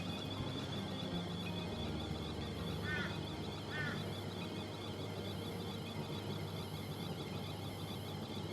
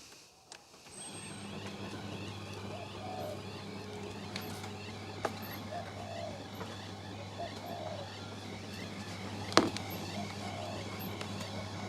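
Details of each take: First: Miele T8929 WP heat pump clothes dryer found dumped, empty drum on cotton program: soft steady drum rumble with two short high chirps about a second apart; light squeak thought normal. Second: Miele T8929 WP heat pump clothes dryer, empty drum, running the shirts program (1 h 9 min): steady low hum, soft tumbling and rare faint very high squeaks. The owner attributes the squeaks to a bearing but is unsure the dryer has one. Otherwise it runs normally.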